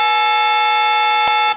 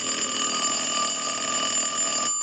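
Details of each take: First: Western Electric glow phone before repair, plugged into an analyzer, with the owner hearing a tone or buzz when trying to dial out: a steady, unbroken two-note tone holds on the line and then cuts off. The analyzer shows an eight seized, as if a key is stuck. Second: Western Electric glow phone after repair, ring cycle started from an analyzer with the rear ringer volume control wired into the circuit: a steady, bright bell ring with no stutter or dead spots. The ringer works properly.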